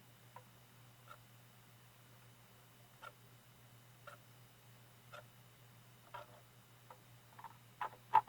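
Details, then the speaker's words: Bose AWRC1P Wave Radio CD player, radio works; faint irregular clicks and pops about once a second as the drive tries to engage then returns to flashing CD; laser failing to read, laser voltage adjustment pending. "It's like it's trying to engage. I don't know if you can hear that popping. And when it pops, it goes back to a flashing CD."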